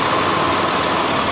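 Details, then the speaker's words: Large vacuum leak simulated by pulling an air hose off the intake: loud steady hiss over a weak, shaky idle that is close to stalling. Pulling the hose fully off can kill the engine. "you can also hear the hiss of the leak - and if I pull this completely out I can even kill the engine"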